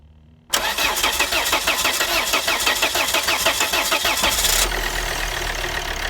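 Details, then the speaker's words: Volvo XC60 D5 diesel, possibly Euro 4, started after injector replacement: fires into a sharp, fast ticking chuff at idle as exhaust gas escapes past an injector seat; seal leak, injector needs tightening down further. "so on this injector there was a little bit of uh exhaust gases coming through here so this needs talking down a little bit further"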